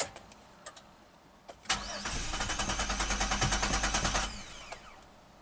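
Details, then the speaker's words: 2007 Chevy Equinox AWD, 35k miles, auction car, after fixing no-crank with a 15 A fuse: starter cranks evenly about three beats a second, engine never catches; P0230 fuel pump relay circuit code, likely no fuel pressure. "okay now it sounds like it's a lot of fuel or something"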